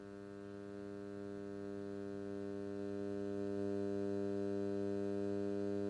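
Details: Steady low electrical mains hum with even buzzy overtones, unchanging throughout, leaking into the audio path at input and output.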